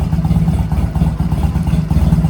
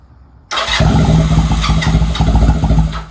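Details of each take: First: Honda Rebel 250 single-cylinder after 27 years sitting, cold, full choke, in neutral; steady even thump at fast cold idle, no knocks or rattles; normal healthy cold idle. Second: Honda Rebel 250 motorcycle first start after 27 years sitting, in neutral, full choke; catches, runs rough a few seconds, dies, fires again and stumbles; hard starting, owner suspects fuel not yet circulated.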